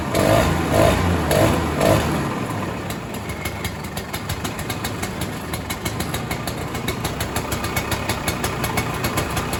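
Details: 1967 Ski-Doo Alpine twin-track snowmobile, two-stroke, sat many years, now on its own fuel, about 75°F: pull-start bursts with barely any choke, then a steady burble settling into even idle; running much better.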